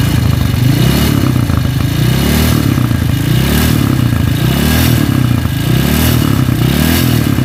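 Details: CB motorcycle single, stroked-up engine vibrating badly with a rough sound. Loud, coarse, clattering uneven beat swelling about once a second; very loose camshaft knocking at the cylinder head. Worn camshaft.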